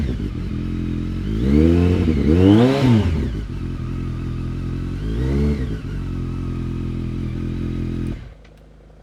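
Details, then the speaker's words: BMW K1200R Sport after a coolant purge under vacuum, new spark plugs, a booster plug and a final drive fluid change: two clean blips falling to a steady, even idle; the earlier misfiring sound is gone. "that sounds better than it did guys I'm not getting it used to sound like it was missing and it does not sound like that anymore"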